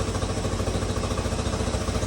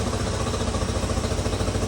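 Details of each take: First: 1986 Honda CT110 after a carburetor rebuild, with the mixture screw turned back to where it started: the small single ticks over at an even, steady beat with no stumble or hunting. Normal idle, mixture set right. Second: 1986 Honda CT110 just after a carburetor rebuild, idle mixture screw being turned 1/4 at a time to find where it stumbles: small single idle pulses start to sag and slow. Idle slowing from a mis-set mixture screw.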